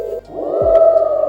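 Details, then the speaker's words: Glion DollyXL electric scooter as throttle increases: steady mid-pitched hub motor whine swelling loud and even; quietest at top speed but very noisy. "So at the top speed is where it gets the quietest, but It's a noisy scooter. really, really noisy."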